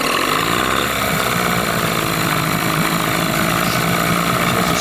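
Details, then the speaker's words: 1998 15 hp Johnson two-stroke outboard with an overheating problem, running after the thermostat was refitted: uneven idle with occasional pops and smoke as the idle lowers; misfiring, cause unconfirmed, sealant possibly blocking water channels suspected. "I think this is the first time I've ever had an exhaust blate off"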